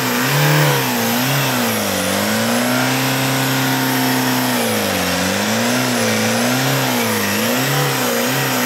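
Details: Tata Indigo after head gasket job, head work, and new timing belt, tensioner and timing parts: clean smooth revs rising and falling repeatedly, no tapping, slapping or misfire, healthy.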